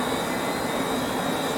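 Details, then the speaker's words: 1970s Centurion minicomputer Hawk 10MB hard drive after start-stop pressed: brushes sweep out while platters spin up, loud steady jet-like rush with thin high whine; normal spin-up. "The brushes are coming out here. They're sweeping. I can hear it spinning up."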